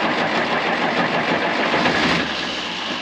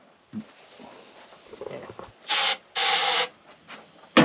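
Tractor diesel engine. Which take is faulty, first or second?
second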